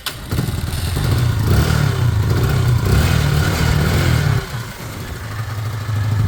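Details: Small Chinese 125 motorcycle (Lexmoto Michigan or Herald Classic 125). After a strong spark was confirmed and no fuel prime was suspected, it catches after a brief crank. It settles into an even, steady low thrum with a slight dip: a normal start and idle, left to warm and circulate oil.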